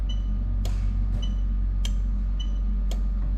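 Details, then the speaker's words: Toyota Altezza with hardwired 1998-2000 LS400 1UZ-FE VVT-i engine harness and J160 gearbox: ECU AC clutch signal test, crisp regular clicks about every half second from the relay box by the ECU; AC clutch relay switching normally. "all right so hopefully you heard that so that's the ac the clutch relay working so we're happy with all of that"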